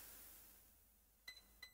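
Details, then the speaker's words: MacBook Pro 16" A2141 that won't turn on, logic board diagnosis: multimeter in continuity mode across a board fuse checked for a short-circuit kill gives two short high beeps, showing the fuse still passes current. "Donc on va mettre en mode bip. Comme ça vous pouvez pas voir le multimètre mais vous pouvez entendre si ça bipe."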